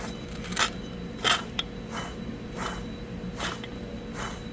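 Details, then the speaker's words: Used junkyard rear axle wheel bearing turned by hand, from apparently flood-damaged parts: gritty scraping bursts about once a second, bearing rough and not reusable. "That wheel bearing is no good. Go to this side. You could hear it. No good."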